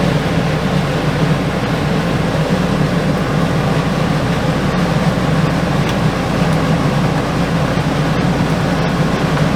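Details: RV rooftop air conditioner reported not cooling; steady even hum of compressor and fan with no rattles or squeals, air 70 in and about 45 out, around 11.6 amps, refrigerant level fine; normal running.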